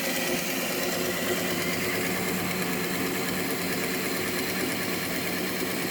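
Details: Hornby (Lima-based) Class 57 diesel-electric model locomotive, owned about two years when it suddenly went dead, now repaired and running on the test bed: steady even motor buzz with constant high whine, no catching or stalling; runs normally.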